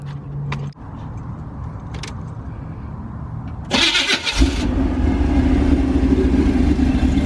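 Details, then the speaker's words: Chevrolet El Camino with a 355 small-block V8, performance cam and aluminum heads: cranking burst, then it catches and settles into a deep, lopey cammed idle with a lot of shaking; runs pretty good. "yeah you hear Hamed out it sounds is in pretty good a lot of shaking in there"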